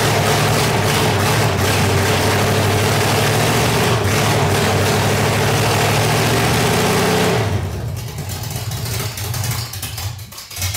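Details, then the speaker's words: 1985 Stepside truck with a reportedly 400 hp Corvette V8, cam, roller rockers and headers: deep, lumpy idle at about four lopes per second, clean revs and an even beat; healthy cammed V8 idle and rev. "but definitely sounds good you can definitely hear a little bump in the cam and uh sounds pretty healthy"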